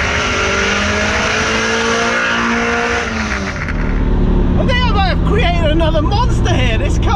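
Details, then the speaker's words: Ferrari 308 V8 on the road with a newly built loud exhaust: a loud rasp pulling and revving with a lumpy, uneven beat instead of a smooth drone. It is not firing on all eight cylinders, an engine misfire. "it's loud 308s typically are not very loud and this one as you can hear it's not firing on all eight either"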